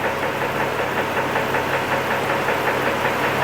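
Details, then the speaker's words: 2006 Chevy Trailblazer 4.2L at idle about 650-700 rpm, before trying an oil additive: light regular knock about 2.5 per second that goes away with throttle; owner suspects possible internal engine cause, unconfirmed. "it's like a knocking sound you guys hear that that's the noise that we're kind of fixed now"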